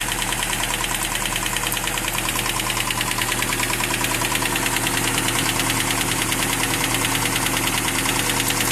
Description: My 1992 Toyota Hilux is making a clicking noise... / The Engine is a 22R...